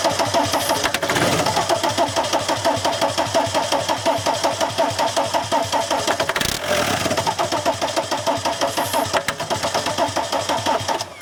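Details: VW camper van with swapped TDI diesel engine and new harness: starter churns at about three compression beats a second for over ten seconds with starting spray, never fires. Owner wonders about the M1 relay; cause not confirmed.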